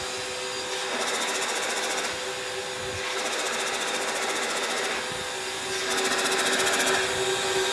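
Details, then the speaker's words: Electrically driven turbo compressor rig feeding an intercooler: as the pressure ratio gets high at higher speed, rapid fluttering bursts come over a steady high whir as the compressor stalls. Turbo compressor surge. "so we can see is the pressure grading gets really high the turbo STS and when it's going faster it makes that characteristic do"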